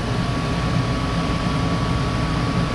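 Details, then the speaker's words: Goodman gas furnace after finding a bad gas valve that wasn't opening, monitored for rollout-switch trips: steady even rumble of burner and blower with a thin constant tone, no surging or cutting out, flames look good. Normal furnace operation. "But the flames look good, so should be good to go."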